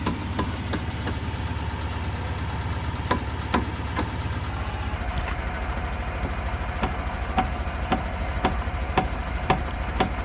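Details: Maruti Suzuki Alto, stationary, engine idling, steering rocked left-right: sharp uneven knocks from excessive play in a worn steering rack bush and rod.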